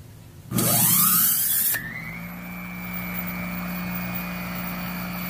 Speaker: has a beautiful sound when it runs